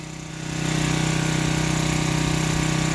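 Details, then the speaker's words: $5 yard-sale pressure washer, revived without new parts after spark and fuel-system cleaning, choke linkage sticky, hose leaking slightly: steady, even small-engine drone settling after a brief rise, no misses or knocks; runs healthy and smooth. "It has a leak in the hose, but not that bad. Oh my god. It runs so good, though. I don't know how."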